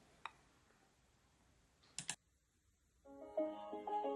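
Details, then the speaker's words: Lightning-struck Samsung TV, about 2007–2008, that only clicked relays and would not start. With the shorted HDMI controller chip removed, faint relay clicks are followed by the usual power-on chime. Normal startup. "and yes we heard the time that it usually starts with so it means that at least that chip is probably our fault"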